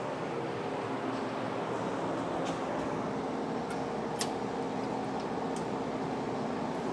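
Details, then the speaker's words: 1971/1972 VW bus air-cooled four, started on high choke, choke already open: busy clatter with a slightly uneven, lumpy beat at idle; ignition timing out of adjustment, runs better afterwards. "Timing issue. Choke is open already."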